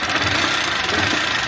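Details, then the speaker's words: 160 cc motorcycle with a loud engine noise: a thin, fast, tinny metallic rattle over the idle rather than a deep knock; the mechanic diagnoses a worn cylinder kit (piston and cylinder), rocker arms possibly worn too. "Ó, quando o barulho tá fininho assim, é kit de cilindro."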